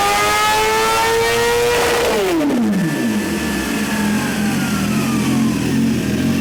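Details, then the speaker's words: 2017 Suzuki GSX-R1000 sportbike, ride-by-wire, after ECU flash adding 4.4 degrees ignition timing; test ride under varying load listening for knock. Engine pulls up strongly then drops back off throttle, crisp with no pinging or rattle over exhaust; no detonation under load. "but we had the ability to change the load, and you could hear the engine being loaded down. I didn't hear any signs of pinging"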